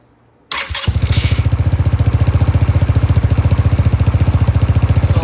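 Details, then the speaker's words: Venom x18R 200cc automatic motorcycle. It fires up and then settles into a slow, lumpy chug close to stalling. Idle speed is set too low. "so you kind of have to go by just the way it sounds now it might turn that way down like that the bike's going to want to stall that's way too low"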